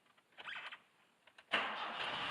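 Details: 1976 Alfa Romeo Spider with twin carbs, cold start on full choke after a couple of throttle pumps. A few quiet cranking sounds, then it fires at about 1.5 seconds and settles into an even run. Normal cold start.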